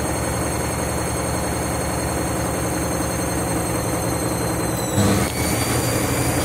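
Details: Washing machine spinning after a reset because it wasn't heating, never seen before on this washer: heavy droning rumble with steady whine at full spin, jumping abruptly near the end; violent spin noise, cause not found.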